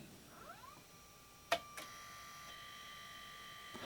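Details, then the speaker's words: Parallel-port Zip drive on a 5 V supply, Zip disc inserted: short rising chirp, two sharp clicks, then thin steady whine as disc comes to speed; normal spin-up. "that sounds totally normal let's eject it nice"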